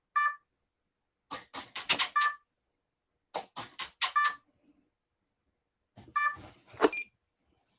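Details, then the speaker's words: RC plane ESC at power-up: short groups of high beeps repeating every couple of seconds, never arming; it began after fitting a new X-fly motor with burner but also occurs with the original motor, so an ESC fault is suspected. "motor on has it always made that noise no the beeping yeah no that happened when I the first time this happened is when I put in the new x-fly motor with the guniac burner is when it started doing"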